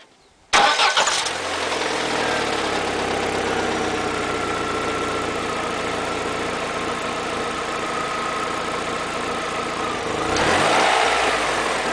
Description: Help wanted!! After service this knocking sounds started. I was in couple service, and they didn't know what is it!!